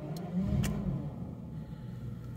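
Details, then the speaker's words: 1994 Jaguar XJS 6.0 V12, de-catted downpipes and aftermarket rear exhaust, recorded from inside the car before the new front exhaust section is fitted; running hot, possible coolant airlock: smooth deep burble with a brief blip, then even idle, no misfire or tapping; normal idle. "Anyway, as I can hear, general jagness, very quiet."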